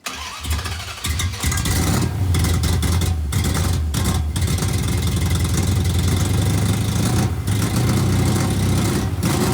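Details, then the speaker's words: 1971 Plymouth Satellite 318 just fitted with a Thermoquad carburetor: catches after cranking, then a lumpy, wavering idle that runs terribly; idle mixture adjustment planned. Rough idle, cause not confirmed. "Running terrible, so I'm going to try adjusting the idle mixture."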